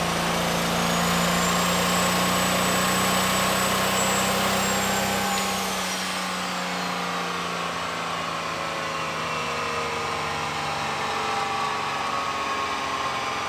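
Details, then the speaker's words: 1996 Dodge Ram 2500 with 6.1 L stroker 12V Cummins on the dyno: screams at high revs, then speed sags and flutters unevenly; injection pump rack hung at high fuel, diesel runaway. "I lifted the throttle and the pedal didn't come back up with my foot. The rack was hung."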